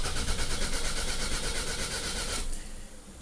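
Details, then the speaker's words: 2004 Toyota RAV4 crank-no-start, key fob/immobilizer confirmed working: starter spins the engine steadily over two seconds without a single catch, then quits; cause a shorted crankshaft position sensor wire. "So we got a crank no start."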